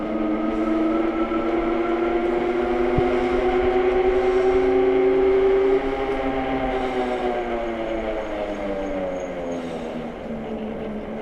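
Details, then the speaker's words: AKEZ 750 W fat-tire e-bike hub motor with about 50 miles, riding up to about 15–16 mph: a smooth, steady whine rising with road speed, no knocks or roughness. It rides perfect, and the hopping issue occurs only on the 1000 W model. "like I said this one rides perfect this one doesn't have the bra and I got about 50 miles on this one"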